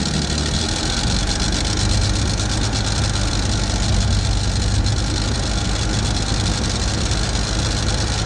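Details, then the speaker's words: Rochester BV1 one-barrel carburetor on a Chevy II Nova 250 (from a '67), idling on the swapped-in carburetor after priming, exhaust leak not yet fixed; steady, even low rumble, slightly better than the other carb and not loading up. "well it's not that bad seems to run a little bit better than the other one not much but it's not loading up or anything"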